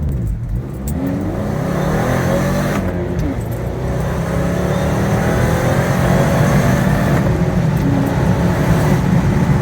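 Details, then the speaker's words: 2015 Subaru Forester FB25 2.5L, DIY Eaton M65 supercharger on 93mm pulley, about 5.5-6 psi, new fuel pump, fuel pressure about 50 psi, 0-60 run: pulls hard then big bog at high rpm before redline; owner suspects fuel delivery. "I felt quite a big bog at high RPM so I wonder if maybe that was a fuel delivery problem"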